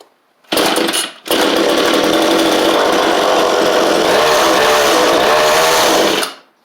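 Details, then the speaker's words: Homelite Super EZ chainsaw after swapping the discontinued "blue coil" for a Husqvarna coil 503901401 to fix a spark issue, sat for an unknown time: it catches with a pop, stumbles briefly while warming up, then holds a loud, steady two-stroke buzz. It runs properly; the carb could use fine tuning. "This thing does take a second to warm up. Like I said, I don't know how long it's been sitting before it came to this."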